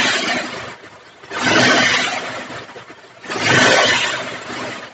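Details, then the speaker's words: Bajaj Pulsar 180 BS4 with pickup/RPM and hard-starting complaint (needed 4-5 self-starts), CDI refitted; two clean throttle blips rising and falling back to settled idle without stalling; normal rev and idle. "देखना, लेकिन car यह बंद नहीं हो रहा है। अब। क्या यह सही नहीं है?"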